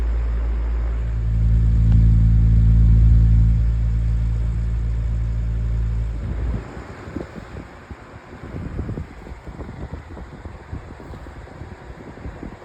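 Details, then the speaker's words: 2024 Lasko 1823 18-inch pedestal fan on medium speed: low motor hum with a steady throb about four times a second that fades as it slows; out-of-balance blade shaking the fan more than on low. "All right, here is medium. And it shakes a lot more on medium, too."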